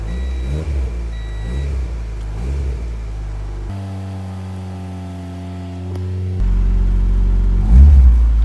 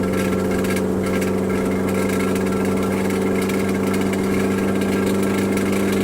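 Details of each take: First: Honda Integra DC2 after retightening a loose starter (17 mm bolts); brief crank, engine catches and settles into an even rumble with a couple of blips; normal start. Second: Turbocharged DC2 Integra at idle, turbo gasket blown: loud raw unmuffled idle with a harsh rasping puff on each firing pulse as exhaust escapes at the turbo gasket. Exhaust leak at turbo gasket.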